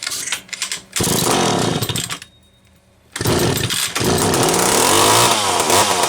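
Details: McCulloch Pro Mac 700 two-stroke chainsaw after new fuel hose and filter, carb not rebuilt, oiler still needing work: snaps up to a high buzzing rev, drops off, revs cleanly again; healthy running.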